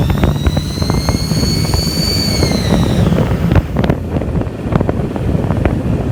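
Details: Duramax diesel: a sharp high-pitched squeal that bends slightly with engine speed for a few seconds, then fades into diesel clatter. Engine squeal, cause unknown.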